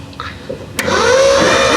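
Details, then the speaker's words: 1972 Ford F100 4x4 with a 390 V8, parked 15+ years, cranked by jumping the starter with plugs removed: a thump, then a fast, even starter whir with no binding, building compression and blowing debris out of the plug holes. "Wow, pretty good. Wow. It's starting to get compression. It's blowing the stuff out of the holes."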